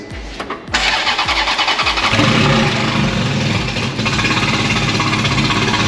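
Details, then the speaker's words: Fire-damaged Ferrari being rebuilt, low fuel warning: a few starter cranks, then catches and settles into a steady even idle, nice and quiet, no knocks or misses; afterwards it won't go into gear. "You heard the engine there, nice and quiet. It's that sound pretty normal? Sounds good. Very good."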